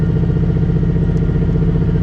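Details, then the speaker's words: Turbo street car on ethanol, 10 psi boost, 235 street tires, launch timing retard, two-step on parking brake switch, at the drag strip. Choppy low chugging off the two-step, bogging before boost comes up; 2.097 sixty-foot. "It's almost like no matter what I do, when I leave off of the two-step, it chugs at first, and then it comes up."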